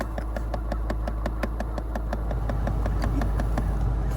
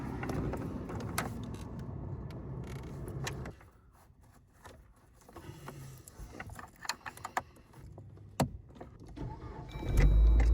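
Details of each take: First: Dodge Journey idling, rapid steady clicking from behind the dash (glovebox side) when HVAC is used: failing blend door actuator, fixed by replacing the actuator. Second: Dodge Journey after replacing the HVAC blend door actuator (old one had stripped teeth and clicked): steady engine and blower hum with soft air swishes as the door opens and closes, no clicking; normal operation.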